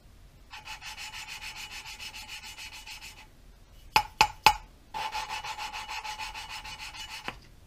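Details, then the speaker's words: Subaru cylinder head with heavy carbon buildup, exhaust valves suspected leaking, valve hand-lapped with grinding compound: rhythmic gritty rasping strokes about four per second broken by sharp taps; noise thins as compound leaves seat, tapping draws it back. "You can hear the grinding compound working. And as that noise thins out, that means the compound's moved away from the actual seat and margin, and the tapping pulls the compound back into the area that needs to be ground."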